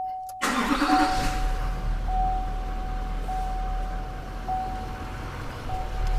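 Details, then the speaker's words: L5P Duramax diesel at 620,000 miles, after a fuel filter change and priming: a quick crank, then a smooth, even idle with a faint steady whine; runs normally. "Purrs like a kitten."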